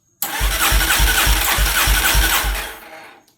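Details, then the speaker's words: 1989 Yamaha Warrior ATV that caught fire, starter only works with kill switch off, starting fluid tried: steady cranking at about three and a half compressions a second, never catches; owner suspects no spark. "Guess let's check for spark. I doubt I have spark."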